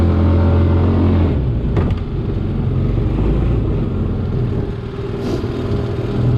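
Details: BMX 300cc side-by-side with Linhai 300cc single, after an engine build, driven in high gear on a freezing day, no antifreeze yet: deep steady drone under tyre and wind rumble, even firing, nothing knocking or rattling; normal running under load.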